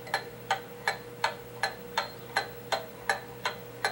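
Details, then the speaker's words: Pendulum clock movement after bending the crutch counterclockwise to adjust beat: even tick-tock at about 162 beats a minute, every tick evenly spaced with no limp; clock is now in beat. "and now the clock sounds like it's in beat and so that takes care of that"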